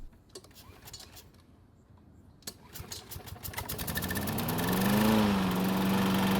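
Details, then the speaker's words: Troy-Bilt mower over 13 years old, reassembled after a valve lash check: a few pulls, then a smooth, even drone with the chatter gone; normal running. "um so it looks as though the noise is finally gone which is great news"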